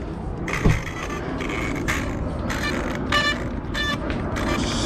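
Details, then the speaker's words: ARRMA Kraton EXB RC car, third run, driving after a battery change; motor whir with scratchy clicking bursts about every two-thirds of a second; drivetrain clicking, owner suspects internals grinding or new rear diffs, unconfirmed. "thing is clicking has clicking noise and so i don't know man cxp is becoming real troublesome"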